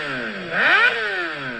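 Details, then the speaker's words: 2006 Suzuki GSX-R600 motorcycle; quick, clean rev from idle up and back down, pitch rising and falling smoothly with no misses or rattle. A healthy rev. "Sounds like it revs really good."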